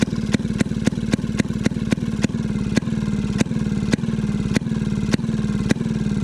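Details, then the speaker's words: Maytag 92 hit-and-miss engine after off-camera adjustment, later found to have been getting too much fuel: sharp firing pops about twice a second over a steady coasting chug. Yesterday's squeak has quieted a lot. Normal running. "see if it want more fuel or something seems happier the the squeakiness of yesterday has quieted down a ton too [Music]"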